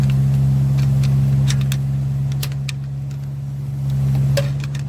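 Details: 2015 Chevrolet Silverado 5.3 with P0300 misfire, check engine light flashing and valve-train noise; low steady idle with sharp ticks about four a second, slightly uneven, traced to a defective lifter not holding pressure.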